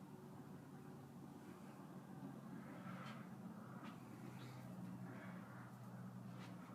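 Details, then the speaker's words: 44" Monte Carlo Designer Supreme II ceiling fan in a hotel room, incandescent light on, running on low speed. Faint steady low hum, smooth, with no ticks or rubbing. Quiet, unlike the same model in the other room. "thankfully this one doesn't make any noise the one in the other room"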